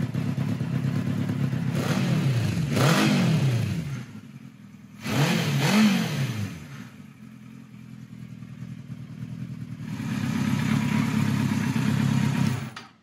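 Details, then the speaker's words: 1976 Kawasaki KZ900-A4 inline-four after fixing wrong exhaust cam timing and two bad plugs, with a new 4-into-4 exhaust. Three clean rev blips rise from a steady idle with an even note and no misfire or clatter; it sounds healthy. "all right so that runs a hell of a lot better so let me tell you what I did um off camera first thing I that is really good so it sounds real nice with that four into four"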